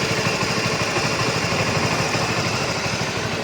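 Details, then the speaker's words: Honda RS150 V2 motorcycle at 86,000 km, after a service with Castrol 10W-40 oil and a new cam chain tensioner. Steady, even single-cylinder idle with no droning or humming; a normal, healthy engine. "Enjin kita bunyi dah sedap eh. Tak ada bunyi dengung-dengung eh."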